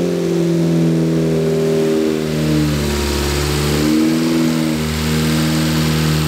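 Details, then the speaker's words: Ford Focus ST with freshly built swapped engine (balance shaft delete, oil cooler, Comp Cams non-synthetic break-in oil) on first-run break-in, held near 2,500 rpm to seat rings; smooth even drone, slight speed rise and fall, no knocks; healthy. "If you can hear me, but this car sounds amazing. But what we're doing right now is we're doing the break-in process."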